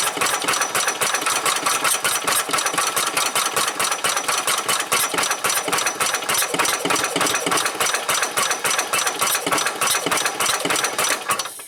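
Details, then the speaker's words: 1990 Club Car golf cart with a nearly dead battery and a fresh spark plug: fast, ragged popping that never settles; fires only intermittently, replacement carburetor suspected wrong and fuel filter not filling. "okay okay well I finally got it to fire a few times I don't know if the camera recorded or not"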